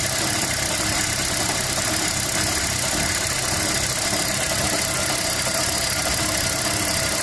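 Idle with an uneven, stumbling beat and irregular thumps in the exhaust rhythm, a typical misfire at idle.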